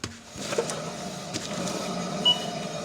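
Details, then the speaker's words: BMW 325i raised on a lift, passenger-side front wheel spun by hand: dry, rough growl from a worn wheel bearing, with some brake pad-rotor noise and handling clicks; the driver's side is silent. "So basically, while you have the car up, you're going to grab the wheel, and then you're going to spin it. I don't know if you hear that growling sound."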